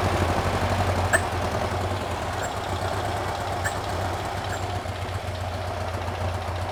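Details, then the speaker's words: Porsche 912 air-cooled flat-four engine stored over ten years, run after cooling fan nut repair and fan adjustment, slightly warmed up: steady low idle hum with even beat and light ticks; runs smoothly, normal idle. "it's a runner uh sounds pretty good I got a little bit of warmth into it"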